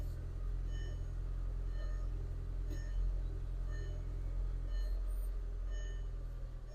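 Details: 2003 VW Golf GTI MK4 1.8 turbo automatic, 107,000 miles, after repairing a crank-no-start: steady low, even idle with no knocks, misses or hunting; running smoothly.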